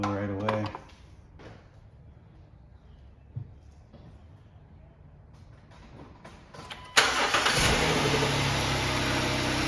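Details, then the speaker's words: 2011 Jeep Wrangler 3.8 V6 with P0301-P0306 misfire codes, after replacing a faulty spark plug on high-mileage original plugs: engine catches and settles into an even idle with no stumble; misfire gone. "I think they got lucky it's all it was nice and smooth"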